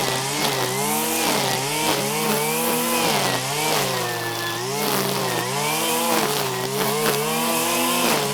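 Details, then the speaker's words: 1997 Stihl Pro Series FS two-stroke trimmer at wide-open throttle cutting grass: high buzzing note holding steady with only slight dips under load, pulling cleanly and strong; normal full-throttle running, cuts well regardless of depth except on plunge cuts. "all right you can see it cuts very well there and it frankly doesn't care about how deep you buried into something except on the plunge cut"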